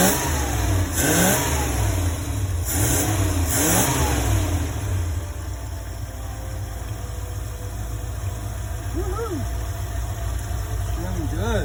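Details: 1975 Ford E100 van V8 after wiring repairs: rumble rises cleanly through several blips and drops back to a steady idle without misses or knocks; engine sounds healthy, though the alternator appears not to be charging.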